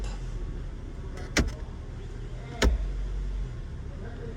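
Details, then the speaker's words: 2007 Mazda, complaint of rattling and vibration when driving and shifting, after engine mount replacement: low, even idle rumble with only a couple of handling clunks, no rattle left; normal idle. "then we're gonna start the car still rattling or not better yeah no more no more rattling"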